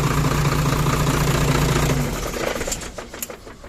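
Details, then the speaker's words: Hino Mega 500 J08C diesel after valve clearance adjustment (the valves were loose before): smooth, even diesel clatter with no valve tapping before the engine winds down; the valvetrain sounds quiet and healthy. "แต่ตัวนี้ไม่มีเสียงเลยแอไปหาเองตอนนี้หายแล้วปาก็จบนะฮะ"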